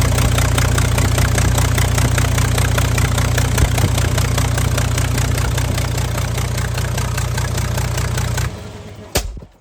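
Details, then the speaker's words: Freightliner Cascadia DD15 diesel, cylinder head recently replaced elsewhere, burning oil (customer states about 1 gallon a day): loud, sharp open-port barking at idle with the exhaust manifold and turbo removed, oil showing at the number 3 exhaust port. Exhaust manifold removed. "There you go, guys. So that's what it sounds like when you actually have the manifold off there."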